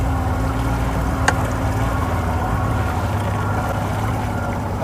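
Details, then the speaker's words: Outboard idling on the water: low, even burble with some water and wind around it; the motor runs smoothly and sounds healthy. "motor sounds good"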